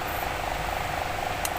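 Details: Toshiba wall fan after repair, with new bushing and cover replacing the cracked one that made the shaft noise: smooth, even hum and light airflow, no grinding or rattling from the shaft.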